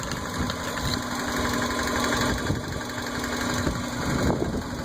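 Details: Idling petrol engine with an uneven knocking and slapping, seemingly from the right-hand side, also heard when revved. Not engine knock: the cause was the flex plate. A boiling-like noise was also heard from the dipstick tube.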